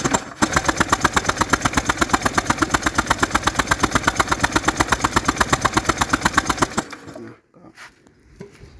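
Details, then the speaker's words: Honda PCX150i scooter that won't start after sitting a long time, cranked after fitting a new NGK spark plug. Steady cranking at about three compression pulses a second for seven seconds, never catching. Likely not the plug; a later scan shows no fault codes. "ใส่หัวเทียนแล้วนะครับแล้วก็มาสตาร์ทขึ้นเลยครับว่ามันจะเป็นยังไงก็ยังไม่ติดนะครับเปลี่ยนหัวเทียนก็ยังไม่ติดครับน่าจะไม่เกี่ยวกับหัวเทียนนะครับ"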